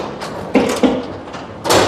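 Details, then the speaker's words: Newly installed Wayne Dalton 8000 garage door opened to check clearance: sharp single clicks and knocks as the door travels up, from the door hitting the opener rail. "That one hits. So what I normally do is, I'm glad it did that."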